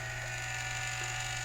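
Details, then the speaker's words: Culligan Gold Series 9 water softener control valve after service and lubrication for error 1H, running manual regen: steady motor hum with faint even whir, piston driven in and out with slight strain but no grinding or binding; cycling normally. "okay so there it is cycling and it looks like it's working just [Applause] fine you can hear it's straining a little bit but you know it is a a there is a bit of an effort in moving that piston in and out"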